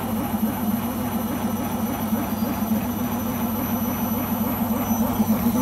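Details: Beko washing machine on its last legs: steady droning roar with a fast pulsing throb, about three beats a second, through the spin; owner suspects the rubber behind the drum, not confirmed.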